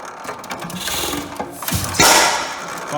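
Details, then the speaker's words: Rare Hercules 12HP hit-and-miss engine, cold, first startup of the season: light latch clicking, then the flyweights kick out, one sharp firing bang and coasting clicks as it locks out again; normal hit-and-miss firing cycle. "once that's enough to kick those fly weights out locks it out again until the circuit cycle completes and starts all over thing is very soothing to me"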